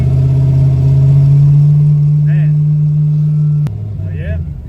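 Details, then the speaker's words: Race truck with automatic transmission, after an in-pits transmission repair: engine pulls with a deep even drone, then revs drop cleanly at the shift into second; transmission healthy, normal gear shift. "I start it up, shift it to the gears, everything's good."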